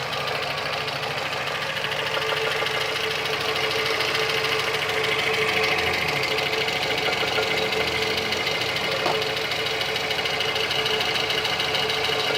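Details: VAZ 2115, 203,000 km without overhaul, at idle: sharp light knock about three per second over the engine hum. The knock stops when the cam pulley is pressed hard with a wrench and returns on release, indicating camshaft axial play.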